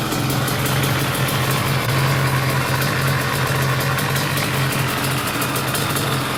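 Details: Restored Yamaha Banshee two-stroke quad after first rebuild round: steady, even idle with crisp rapid exhaust patter, no stumble or knock; healthy.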